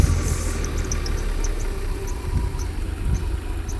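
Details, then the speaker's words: Mercedes W126 300SE, M103 3.0 L inline-six on a Voltarent ECU conversion, idling with cylinder six deliberately disabled: low, uneven idle that lurches and sags, labouring close to stalling; misfire from the disabled cylinder. "of course, you can tell it's struggling to to run."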